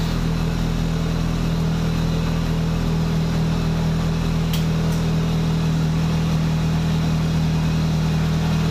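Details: Rover Metro 160 VVC after gearbox rebuild, restarted once the fuel pump primed: steady even idle with no misses or knocks; running properly.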